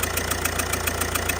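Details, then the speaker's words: Mercedes Vito OM646 diesel at idle: quick, even puffing tick about seven times a second over the diesel clatter; injector seals on cylinders 1 and 2 leaking (chuffing), 3 and 4 seem fine. "So we've definitely got number 1 leaking. Number 2 is definitely leaking. I think 3 and 4 are alright."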